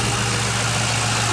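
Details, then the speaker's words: 2005 Ford Mustang GT idling after a P0340 camshaft-sensor code turned out to be the alternator; with the new alternator, serpentine belt and tensioner installed, it has a steady, even V8 idle with a smooth low rumble and no ticks, knocks or belt squeal: normal idle. "The new alternator's installed, the serpentine belt and the tensioner, and as you can hear, everything's running good now. Have no issues."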